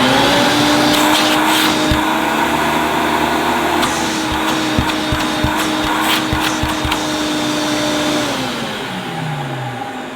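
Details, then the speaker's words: Electrolux 614 upright vacuum (late 1980s) after full refurb, motor cleaned and greased, suppressor removed, original carbon brushes: steady motor hum with a faint rough grumble underneath, then winds down; motor still slightly grumbly, cause not confirmed. "It's still a little bit grumbly, but you know, there's not much more I can do with this."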